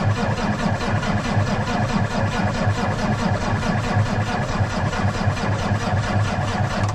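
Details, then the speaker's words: Peterbilt with Cummins diesel, cold start after sitting three days, transfer pump primed first; slow labouring starter turns the engine in a sluggish even chug that never fires, not turning over fast enough; weak batteries. "probably a couple seconds and it's never gonna fire it's not turning over fast enough"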